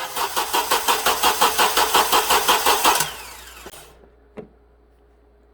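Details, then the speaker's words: 2007 Honda Accord 2.4L four-cylinder after starter replacement, cranked via remote start with key off: even, brisk pulses about six a second for three seconds, averaging about 130 on relative compression test; cranking faster, healthy. "i said it's averaging about 130. i can't remember what it was before but it's definitely cranking faster and you can see that's basically a relative compression test"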